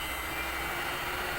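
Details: Fuji Frenic Mini inverter (a 380 V three-phase unit fed single-phase 220 V stepped up to 380 V) drives a UVW motor at its 60 set maximum (minimum 20): steady high whine over a light hum, no wavering or rubbing, normal running.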